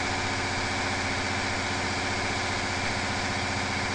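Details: Big Cam Cummins diesel running on a dyno at about 25% load gives a loud, steady roar with a rough rushing edge as the turbocharger fails from oil contamination.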